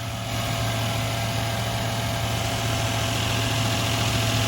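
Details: 2000 Toyota Land Cruiser 100 Series 4.7 L V8 idling after starter replacement: steady, even idle with smooth low hum, no knocks, misses or ticking; engine sounds healthy.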